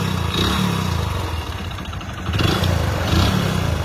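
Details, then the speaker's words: Hero Splendor Plus engine idling and blipped: heavy uneven low knocking and deep bottom-end clatter; mechanic attributes it to connecting rod failure, engine worn out. "ఈ sound ఎందుకు వస్తుంది అని అంటే main connecting lord problem అన్నమాట"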